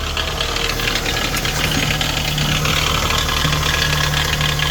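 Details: Toyota 2AZ-FE four-cylinder idling with an uneven, busy metallic rattle over the hum; source of the rattle not identified.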